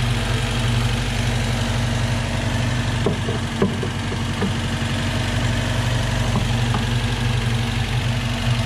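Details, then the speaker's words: Volvo B18 with Weber 32/36 carburetor, warm engine, sprayed for vacuum leaks: even idle holds speed with no pickup when sprayed; no vacuum leaks, normal idle. "nothing so i think there's no vacuum leaks the engine's warm"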